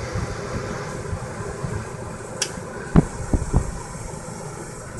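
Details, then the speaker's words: 13.5k BTU RV air conditioner with new hard-start capacitor on a Yamaha 2000 W inverter generator: steady fan and compressor drone with dull thumps and sagging surges as the generator nearly stalls; compressor struggling and doesn't quite make it. "oh that was so close maybe not well let's try it again but looks like it didn't quite make it"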